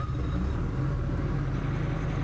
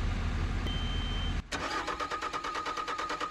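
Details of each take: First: 2020 Bobcat skid steer with rail pressure control fault code E000157-21, after priming fuel system and fixing air in lines: even diesel rumble at constant speed, no stumbling, knocking or hunting; running properly after repair. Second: 2020 Bobcat skid steer with fault E000157-21 (rail pressure control): rapid cranking, about three beats a second, with no start; the diesel is losing fuel prime and the cold weather bypass valve is suspected.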